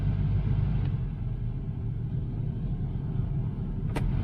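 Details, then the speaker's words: Heater blower fan on a neglected 1977 Chevy Malibu Classic, working after wiggling wiper wires; steady, even whir over a low rumble with no ticking, rattle or squeal. Blower wire had been rigged into the harness and found disconnected; normal blower fan operation. "Wiggled the wipers, wires, and there we go. Needs blades. And the fan, you can hear it."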